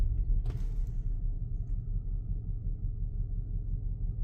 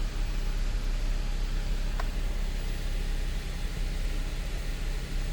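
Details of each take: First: 2013 Audi Q7 3.0T supercharged petrol V6, driven on a test drive after supercharger removal and refit: deep, uneven, shaking rumble from an active cylinder 3 misfire; the engine was also mixing oil and coolant. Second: 2013 Audi Q7 3.0T supercharged, first start after fuel-system work for misfire and oil-coolant mixing: deep, even idle hum with steady rhythm, no stumble; some vibration but not misfire-like, possibly engine mounts. No warnings or errors; normal idle.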